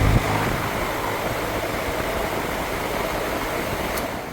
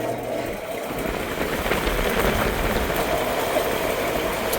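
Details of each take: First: Goodman heat pump outdoor fan motor (aftermarket) that had been screeching, reassembled with its old dry roller bearings cleaned and greased since new ones were wrong size; steady air rush, no grinding, squeal or rumble; sounds fine. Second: Aftermarket outdoor fan motor in a Goodman heat pump, 3–4 days after cleaning and re-greasing screeching ball bearings, run via contactor: even rough whirring with faint scratchy hiss; scored bearings still need replacement.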